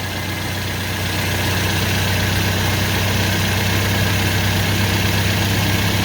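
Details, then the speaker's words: 2007 Toyota Yaris radiator cooling fan motor after repair, running over the idling engine: steady soft whir, much quieter than before, with no rattle, grind or squeal; fan motor healthy. A coolant leak was noticed afterward. "I had no idea. That's way quieter."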